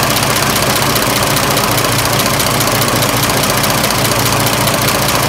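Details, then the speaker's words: 1926 Oakland after sitting 75 years, warm idle: steady even soft beat with no knocks or rattles; much quieter warm; water pump packing weeping slightly. "engine is so much quieter when it's warm"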